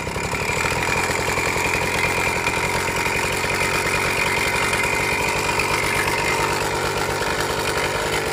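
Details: Suzuki Max 100 two-stroke motorcycle, cold start after sitting about 5 years during restoration, only carburettor cleaned and wiring reconnected: fast raspy idle with ringing, slightly rattly edge; abnormal engine noise, engine not 100% OK, cause not yet found.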